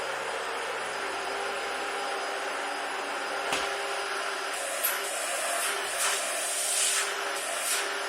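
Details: Trash-found Dyson DC-40 vacuum tested on an old carpet: a steady, airy rush of suction with only a faint hiss and no screaming or whining. It runs normally, with slight suction noise but not as bad.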